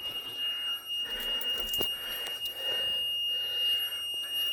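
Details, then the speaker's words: Boat cabin during a mid-winter checkup with water in it: continuous shrill bilge high-water alarm tone; the pump isn't pumping out, batteries likely dead after the pump probably stuck on. "And it's got water, and it ain't pumping out. Let me do it manually. Yep, the batteries are most likely dead. The pump was probably stuck on. Yep. And there's your indicator here that was sounding."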